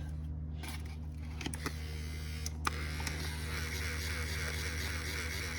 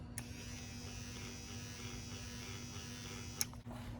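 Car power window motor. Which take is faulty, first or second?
first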